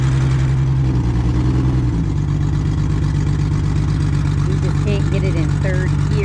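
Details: 2003 Chevrolet Trailblazer with no exhaust fitted: deep, loud booming drone with a rough pulse, sounding like a diesel truck and far louder than a muffled engine.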